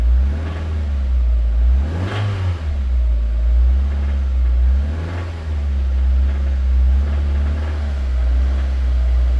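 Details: 2000 Mazda Miata with the BP4W four-cylinder; the engine is held at idle until oil pressure rises, then blipped, and a deep rod knock sharpens as revs come up off idle. It is described as knocking under load with no noise at idle.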